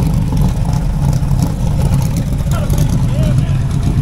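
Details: El Camino V8 started at 20° outside, suspected hydrolocked with antifreeze in cylinders: loud, lumpy, unsteady running under light revving; rough running, cause unconfirmed.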